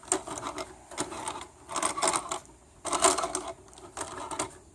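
Sharp clattering bursts repeat about once a second in a steady rhythm; a clicking somewhere in the drive, cause not pinned down. Cause suspected, not confirmed.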